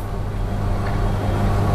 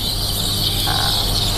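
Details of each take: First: Milesto Eliane espresso machine steam wand steaming milk with tip floating correctly after lowering the jug: low steady rumble, hiss gone; milk heated to about 45°C (usually 45–50°C). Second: Milesto Eliane espresso machine steam wand: steady piercing squeal over low rumble because the tip sits too deep in the milk; lowering the jug so the tip floats near the surface gives a hissing sound instead.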